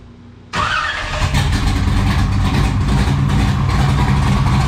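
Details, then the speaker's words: 1969 Camaro with 496 big-block V8, first start in the car after run-stand break-in, exhaust cutouts open; catches and settles into a loud, deep, lumpy idle, strong and even, no misses or knocks; normal running. "we heard the exhaust it sounds amazing chris is extremely happy with it"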